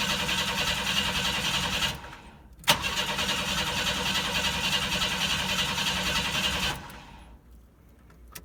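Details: 1992 Chevy S10 Blazer with TBI: steady starter cranking, about three and a half turns a second, twice, never catches; fuel pressure test reads zero, fuel pump dead, crank no start.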